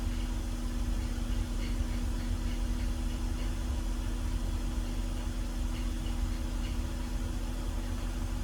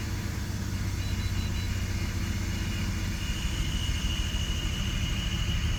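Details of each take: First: BMW E46 at warm idle after replacing the CCV system to fix a vacuum leak and two of six bad coil packs: smooth, even idle with a low hum, far smoother than before; a faint pulley whine remains, suspected idler or pulley. Misfires now cured. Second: BMW E46 after CCV vacuum-leak repair: a lumpy, uneven idle with irregular thumps persists, with misfire codes for cylinders 1 and 6.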